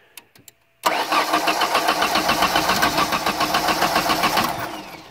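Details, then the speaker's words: 1991-95 Ford Escort LX, starter tested from the cooling fan relay terminal. A few clicks then steady even cranking about four beats a second for nearly four seconds; starter turns engine normally. "also from here what we can do is we can test the starter but that's not all that we can do"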